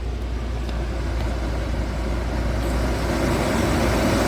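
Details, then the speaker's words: 2016 Volvo XC90 blower motor running at full speed after a test light woke up the missing LIN bus signal (faulty CCM). Steady rush of air, no grinding or squeal. Normal blower operation. "And you can see now fan is turning, right? You can hear it. And uh let's turn it to full speed."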